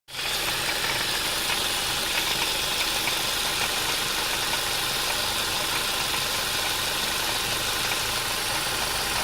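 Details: 2002 Ford Mondeo Mk3 Duratec HE petrol with automatic gearbox idles with an intermittent, busy, tinny rattle over the hum near the pulleys, more prominent when hot; the exhaust seems not to be the cause.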